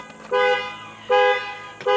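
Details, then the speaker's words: Brand-new 2024 Ford F450 6.7 Super Duty with 300 miles, which won't start after sitting on the lot with rodent-chewed wiring. Security alarm horn sounds: three loud blasts about three quarters of a second apart, showing battery power is present. "the alarm's going off. Okay, so it is alive and it does have battery power."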